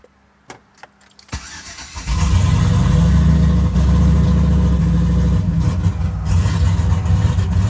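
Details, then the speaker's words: Turbocharged GMC truck with custom MAF/VE tuning, cold start: cranks, catches, roars up, then idle surges lean/rich, timing hunting, may stall; fine once warm, cause not pinned down. "It's rich and lean, like all over the place. Timing's trying to correct the idle. I mean, things are just going crazy."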